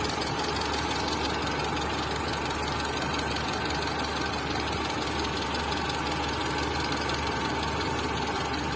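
Steady idle with a fast, even ticking riding over the engine note; the light knock points to the camshaft.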